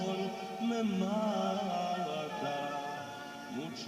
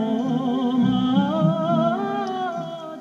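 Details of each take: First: Car radio cassette player after repair of music that fluctuated and sounded low and distorted; the fault was the rubber on the tape drive roller. Playback is now steady and clear, with pitch holding even and no wavering. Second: Car radio cassette player: music plays low, thin, wobbly and distorted with wavering pitch; causes considered were stretched belt, pressure roller, motor.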